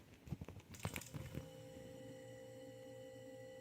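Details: Mini beer fridge after diagnosing a faulty thermostat, repeatedly plugged in: a few clicks and clunks, then the compressor settles into a smooth, steady hum; normal compressor running.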